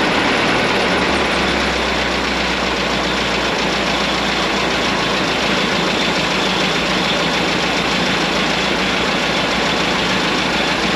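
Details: 1927 White dump truck, first start after sitting 20 years: a loud, steady idle with an even rumble and no misfire or knock. It sounds like new with 28 psi oil pressure; normal idle.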